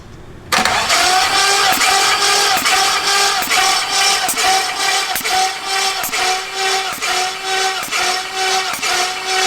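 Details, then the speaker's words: 5.3 LS-swapped Ford Ranger cranked during a compression test after a new cam: fast, light, even cranking around two beats a second with little resistance; readings of about 30–50 PSI, all cylinders low; low compression. "So, after that compression test, which showed up about 30 or 50 PSI, uh Sean just started going not like basically crazy just trying to figure out like what happened like and then all the other cylinders had like low compression, too."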